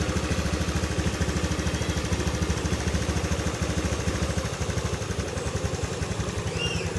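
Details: Honda Beat FI scooter that seized from running dry of oil, freed without engine teardown and held running to circulate oil. Uneven, clattery, lumpy idle about twice a second with smoke; a scratched piston is possible.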